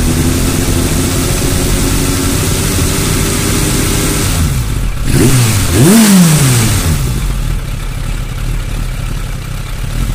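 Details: Suzuki Bandit 600 four-cylinder motorcycle with a rough idle: the beat wavers unevenly, with a quick throttle blip midway; owner asks what causes the fluctuations in cylinder 3.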